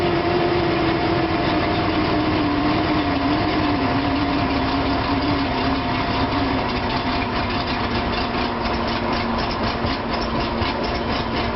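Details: Petrol engine idling roughly, its hum sagging and beat wavering; once in drive and given throttle it stutters and pops.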